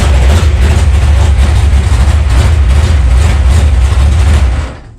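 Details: Dirt track race car V8, bone-stock used parts with 2-barrel carb, first start after sitting for winter, warming up: loud deep lumpy idle, open rumble and steady loping beat, no knocks; healthy.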